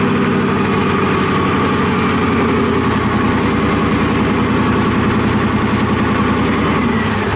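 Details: Cobra kit car engine with Holley idle control, first start; engine catches but the idle hunts and sags instead of holding steady, idle control loop not regulating, traced to several setup issues including conflicting documentation.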